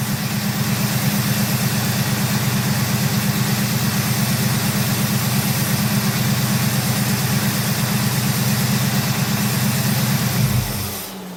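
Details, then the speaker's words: 1971 Oldsmobile 98, 455 engine, warm at about 183° behind thermostat: steady, even low rumble at idle with regular lope, then shuts off cleanly with no dieseling run-on; healthy. "I was almost expecting her to; uh, diesel. But she didn't."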